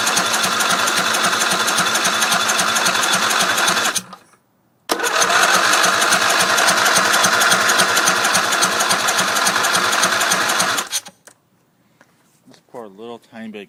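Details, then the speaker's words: Briggs Intek engine on a racing tractor with stock throttle, primed with gas poured down the intake: fires nasty and runs rough for seconds, dies, catches again; starving for fuel, not getting gas on its own. "gas down the intake fired nasty so still not getting gas but uh stay tuned it will run"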